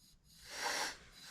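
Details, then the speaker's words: Poulan Super 25 DA chainsaw crankcase pressure test with the saw stopped: faint, brief hiss of air escaping around the crank on both sides; crankcase leaking past the crankshaft seals, which are to be replaced. "I can hear it. You can hear it on both sides of the crank."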